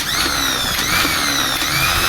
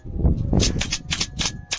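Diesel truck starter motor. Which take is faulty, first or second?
second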